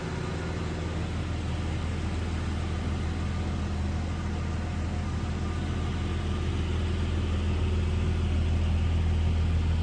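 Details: 2001 Jeep Cherokee XJ, 4.0L inline six, automatic, 73k miles, idling: steady, smooth, unbroken low hum with no knocks or misses; runs great, good oil pressure, no overheating.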